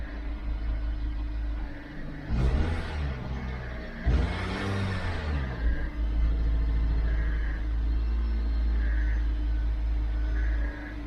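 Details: 2012 Dodge Avenger in limp mode, check engine and lightning bolt lights on, not exceeding about 2,000 rpm, idling problems, throttle body suspected: two short throttle blips rise only a little and fall straight back to a low rumble; revs held down.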